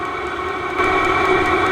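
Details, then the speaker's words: Vevor diesel heater in an overland Ford F250 build, running normally on maximum setting: steady high turbine-like whooshing whine with faint fast fuel-pump ticks; output very hot, hurts to hold a hand at the outlet. "if you have it on max speed it would probably still be really hot by the time it got to your truck even in the middle of winter"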